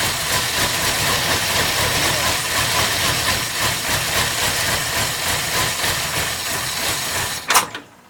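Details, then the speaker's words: Lunch truck petrol engine on a cold start with choke, after an oil change and spark plugs were refitted: uneven, stumbling idle before cutting out; may be running a little lean and not yet off choke, cause unconfirmed. "So far so good. It's a little stumbly, but it sounds like it's starting to come around, or it's going to stall. One or the other."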